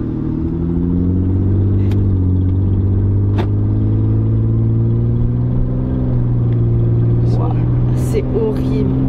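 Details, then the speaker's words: Van at idle: deep, loud, raw unmuffled roar, like a big car with no exhaust. Exhaust leak from the front section of the exhaust pipe. "si vous entendez brute de la voiture ça fait un bruit dans une grosse voiture sans échappement"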